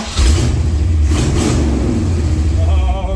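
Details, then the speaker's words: 1980 GMC C35 truck, off road since 2007, after ignition timing adjustment: crisp throttle blips climb and fall cleanly, no popping or stumble; engine pulls clean and healthy. "she's ripping and ready to go now if i can get her in reverse"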